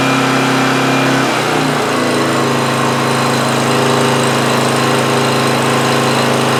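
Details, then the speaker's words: 2008 Homelite GC1800A 1800 W generator after its carburetor pilot jet was opened up: cold-started on choke, after a brief stumble it settles into a steady, even drone, running about 10 minutes with the choke wide open; the fix worked. "all right it's been running pretty good for about 10 minutes or so and choke plate wide open so I feel like we fixed that issue by opening up that pilot jet a little bit"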